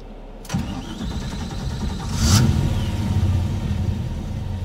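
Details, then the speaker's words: GMC K2500 LS-swapped 6.0 with Muncie SM465: hard start, cranks, catches roughly then stumbles; first start sputters and dies, second start runs. Owner suspects a slightly leaking injector. "some reason it just won't start the first time it sputters off and then it dies and that starts up the second time"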